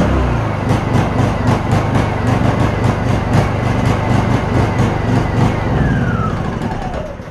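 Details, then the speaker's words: Honda EU2000 inverter generator with a new carburetor whose jet was drilled oversize: the engine note swells and sags in an uneven hunting rhythm; it surges from an over-rich mixture and runs better on choke. "so now we got a situation where the jet hole is too big because he drilled it out it's running too rich and we're just making it run good but it's still too rich it's not right"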